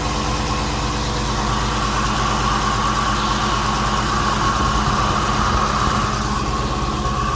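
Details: 2016 300 SRT Core with 6.4 Hemi, built December 2015, at 59,000 km: a new raspy grinding sound with a mid-pitched whir over the usual Hemi tick at idle, louder with the bonnet open. Owner suspects the water pump or lifters.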